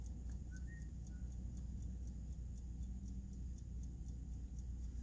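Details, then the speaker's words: 1951 Chevrolet Styleline Deluxe, 216 ci six, Powerglide, about 57,000 original miles, restored in 2001: dash clock ticking quickly and steadily, three to four ticks a second, over a low background rumble; clock working normally. "You can hear the clock ticking."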